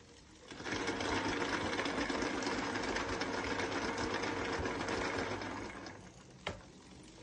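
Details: E-bike hub motor spinning with a rapid rattling knock about four times a second, then stopping; broken, stripped teeth on the plastic planetary gear, replaced with a metal gear held by three clips.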